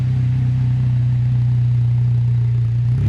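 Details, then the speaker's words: Miata exhaust after Fab9 Elite intake and BC stage 2 plus cams install: deep, steady drone with a smooth even pulse, climbing at the end as the throttle opens; healthy, clean exhaust note while revving. "Yeah, I'm loving this"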